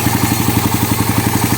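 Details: Suzuki Raider 150 carb motorcycle idling: rapid, even head clatter about twelve knocks a second from valvetrain noise, fixed by replacing shims and machining the cam holder due to excessive clearance.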